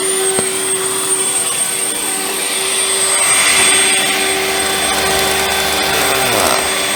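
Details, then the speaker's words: Early-2000s Dirt Devil WDD6110 (Electrolux Contour-type) vacuum, first run before refurb: steady high motor whine with airy rush and slight pitch dips, sounds strained; running but suction is quite bad. "we just seemed to be a little bit better now but the suction is quite bad"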